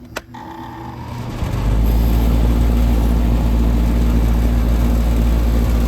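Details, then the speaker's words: 22-year-old belt-driven cooling unit with a no-cooling complaint: strained low hum for a few seconds as the compressor pulls locked rotor, then it starts and settles into a steady loud drone; coil then ices, blower suspected not running. "it did start it pulled lock rotor for a few seconds but the compressor did start"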